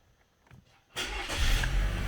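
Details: 2016–21 Chevy Malibu 1.5L after throttle body replacement and relearn: engine cranks briefly, catches cleanly and settles into a steady, even idle with no hunting or surging; healthy.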